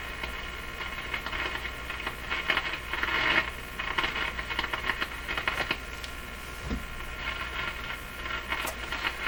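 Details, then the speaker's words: Nordmende Boheme C tube radio after capacitor replacement, on broadcast band at full power: constant hiss with irregular crackles and pops and no station tuning in; suspected rubbing tuning capacitor plates or a bad ground. "still hear all that static and crashing not tuning at all what happened there [Applause] sounds like the plates are rubbing [Applause] or the grounding in here is bad"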